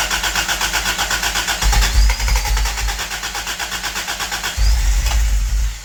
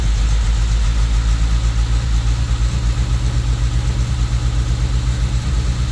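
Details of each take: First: Toyota Tercel wagon with 4A-swapped engine, freshly fitted regrind cam and new valve springs, vacuum advance capped: even starter cranking over two tries without catching; owner suspects timing wrong, later suspects the belt. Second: Toyota Tercel wagon with swapped 4A engine and carburettor, running after fitting a Schneider Racing regrind cam with valve springs: uneven, choppy loping idle at about four pulses a second, with the owner amazed it chops better than his truck.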